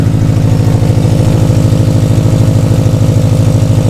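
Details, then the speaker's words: Launch Edition Subaru STI start after reassembly: smooth steady idle with loud rhythmic puffing chuff on each exhaust pulse; exhaust leak because one sensor was left out of its port. "Sounds like an exhaust. It does have a exhaust leak. Because they didn't put this one sensor in there."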